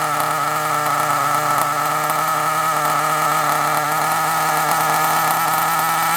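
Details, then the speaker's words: Kyosho Mini Inferno (believed 09) nitro RC car, tiny nitro engine run on the bench/table: high, steady, smooth buzz with no misses or rattles; owner feels it needs driving to clear possible blockage; normal running. "oh right so we're not going to better get it to run perfectly on the table like this really we need to get it out we need to drive on it"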